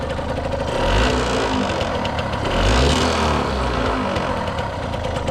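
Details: 1989 Yamaha YSR50 50cc two-stroke, 198 original miles, restored, first starts on premix racing oil plus working oil injection: two quick rev-ups rising and falling smoothly, crisp and even between blips; healthy.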